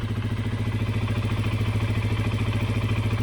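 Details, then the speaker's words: 2012 Honda CBR 125R single-cylinder steady idle thump, about three and a half beats a second, with faint normal valve tick after valve clearance adjustment and reassembly; quieter than the louder cold knocking. "Yeah, I can hear a little bit the, how we call that, the valve, but that's a normal sound actually."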